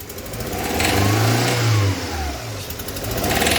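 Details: Renault Clio 1.0 16v with a weak, noisy engine, revved under throttle, producing a rough, uneven knock (pinging). The fault is in the cylinder head.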